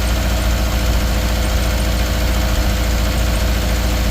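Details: 2013 Subaru Outback 2.5 with a cylinder 3 misfire: steady low idle with an uneven, stumbling beat that skips now and then, a cylinder dropping out at idle.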